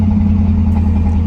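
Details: Old car back running after a fuel leak was fixed with a makeshift line repair on the roadside: steady low even idle, smooth unbroken drone, no misses, knocks or ticks; normal idle.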